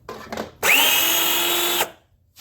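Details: Kid's Peg Perego John Deere Gator ride-on on a 20V DeWalt battery, replacement motors tested after install: a steady, even high whine holds about a second with no catches or grinding; gear motor runs normally after repair.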